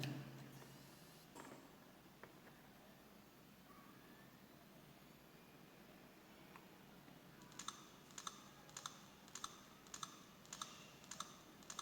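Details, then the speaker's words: Samsung HD502IJ 3.5-inch desktop hard drive powered on: quiet start then sharp even clicks about every 0.6 s as it tries to find service area on damaged read head and shuts off; failed read head. "é mas vocês podem ouvir é nitidamente o prefeito cabeça de leitura ele tenta iniciar acharia de serviço na cabeça de leitura danificada não encontro e desliga"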